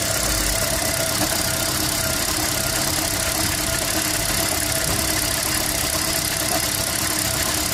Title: Toyota prius 2011 misfire